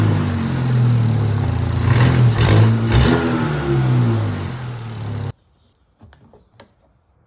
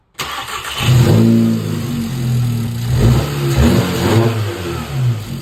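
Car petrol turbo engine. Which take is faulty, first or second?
first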